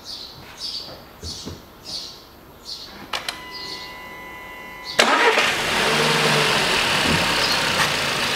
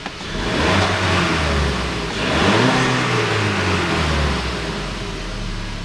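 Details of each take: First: 2014 Volkswagen Beetle 1.4 with code P0236: engine revved, loud airy hiss of boost air escaping through an open intake manifold port where the boost pressure sensor was ripped out with its flange and mount, sensor lying on drive belt. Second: 2014 Volkswagen Beetle 1.4 petrol with DSG gearbox, 49,500 km, after the boost pressure sensor was refitted and the P0236 code erased: the engine revs up cleanly twice and settles, with crisp throttle response and the fault not returning.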